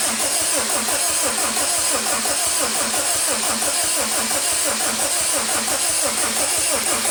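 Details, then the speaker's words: Honda Civic EM2 with replacement stock D17 engine, injectors unplugged, cranking to prime oil pressure: even, steady cranking beat around 87 per minute, no skips or weak strokes; healthy cranking compression. "all right this bad boy up sounds pretty good sounds like that's compression so we're gonna see what's up right now"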